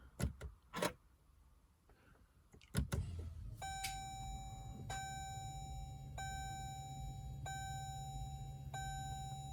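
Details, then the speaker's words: Diesel Jeep Grand Cherokee WK2, just after both fuel filters were replaced: key to accessory, and a steady electric pump hum runs with a chime. The fuel pump is priming normally before start. "And then you really can hear the fuel pump buzzing away."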